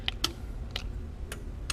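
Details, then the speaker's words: Hy-Gain Afterburner Plus tube CB amplifier after repair, keyed on sideband and back to AM: five crisp relay clicks over a low hum, with the keying delay audible. The relay switches cleanly and the amp is fully functional. "hear the delay in the key where you go back to AM it. You can hear the difference. So yeah, this thing's 100% functional."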